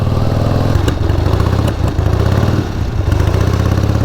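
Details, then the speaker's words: 1978 Harley-Davidson Sportster XLCH V-twin, 33,000 miles on odometer, riding under way: lumpy exhaust beat broken by sharp irregular pops, rider blames the carburetor; popping while riding, cause not confirmed. "nothing about this is comfortable for me my feet position my hand position the popping carburetor"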